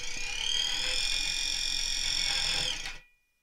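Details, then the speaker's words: Small gear motor with about 71:1 gearbox on a force-driven SCARA robot arm hub: steady high-pitched buzz while stalled just short of its target position, stopping after about three seconds. "and yeah almost there you can maybe hear the motor buzzing slightly we haven't quite got to the position there"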